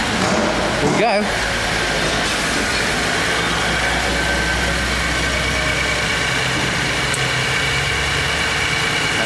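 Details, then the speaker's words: 2010 Holden Commodore Alloytec SIDI V6, 210,000 km, had check engine light and reduced power; first run after timing chain setup, new plugs and oil change: even, settled idle, steady low hum, no knocks, ticks or rattles; normal idle. "that's a good sign are we happy are we having fun yet"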